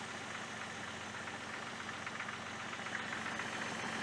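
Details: 2000 Jeep Grand Cherokee idling after new spark plugs: quiet steady idle with a fairly even beat and no obvious miss or rattle; running smoothly.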